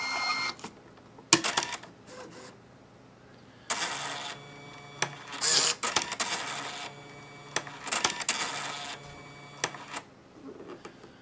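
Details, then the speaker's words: Catalina CMC6 checkout printer running the ink cleaning utility after a poor print-quality reset: irregular bursts of whirring and clattering with quiet gaps; normal cleaning-cycle sounds, lasting one to four minutes. "press and hold the round a A3 second button until the printer light begins flashing the sounds heard are normal depending on the level of cleaning needed for the printer the time to complete the cleaning cycle will vary from one to four minutes"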